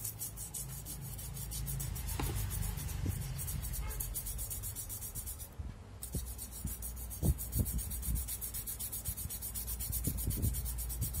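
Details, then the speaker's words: Yamaha Aerox scooter idling: dry, uneven scraping rub over the engine note near the radiator/magneto area. The fan checked fine; on teardown, grit was found caught in the magneto rotor. "ini barusan aja ya motor saya ada suara aneh nih Hai dibagian sininya nih suara seperti gesekan pancaran Hai pada saat motor dinyalakan"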